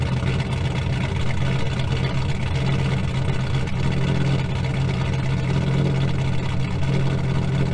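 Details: 2000 GMC Sierra 5.3 V8 with Texas Speed Stage 3 cam (.550/.550, 216/220, 112 LSA) running factory stock tune, cold start warming up; deep, lumpy, loping idle, steady level, no fault audible yet.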